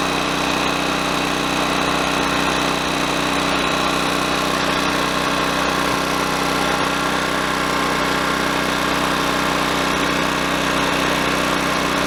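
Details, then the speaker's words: Honda EX1000 generator after carburetor cleaning that removed water and dirt from the float bowl: smooth, even high-pitched buzz at steady speed with no misses or surging, running properly again. "well it sounds good now folks that's all it took just a foot off the float ball needed to be cleaned out a little bit of water a little bit of dirt and it was kind of getting mixed in and creating an interference so once that was cleaned out it's back to running great"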